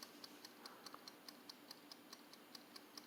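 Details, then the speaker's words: Tork RFF60M timer switch that passed its continuity test (meter reading 2.3). Light, even ticking at about two per second in a quiet room; it finishes its timer even in the off position. Working timer, compared with a rusted unit that fails. "If you can pick up that tick, this one's timer is working. Even when I switch it to the off position, which is off, it still finishes up its little timer."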